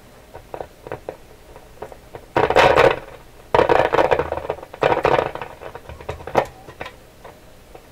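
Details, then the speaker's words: Canadian General Electric KL-96 tube radio, warmed up after paper capacitor replacement: each tap on the table sets off a short burst of crackle and rattle through the speaker; microphonic tube, likely a loose tube shield can. "I'm just tapping the table here. Boy, oh boy. Something's really sensitive. What is so sensitive on here? This one's microphonic. This tube here."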